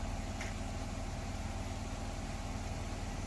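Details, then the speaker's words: Ford Escape 3.0 V6 idling in the sun with the AC on, after a refrigerant leak and orifice-tube valve replacement: quiet, even idle with a soft compressor and fan hum, no knocks or squeals; vents reach 8–10 °C, normal. "มีเหตุกันกลางแดดเดินเบาความเย็นได้8-9องศาน่ะ10องศามีรสเย็นพร้อมส่งงานครับ"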